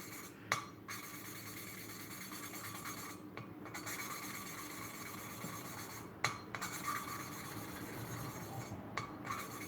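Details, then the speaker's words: Hand-lapping a valve into its seat on a Peugeot 307 1.6 16v cylinder head during a sludge and carbon rebuild, with 10W40 oil as lubricant: rhythmic gritty rasping strokes, turned and rotated with a tap every few seconds, growing smoother and quieter as the pitted seat beds in. "So turn, rotate and recommence. And you want to hear the pitch change. It will get less loud."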